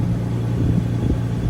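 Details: 2006 Toyota Tacoma after crankshaft position sensor replacement for crank-no-start with code P0335, AC on max: steady low even idle rumble, no misses or knocks; idling normally, no codes afterward.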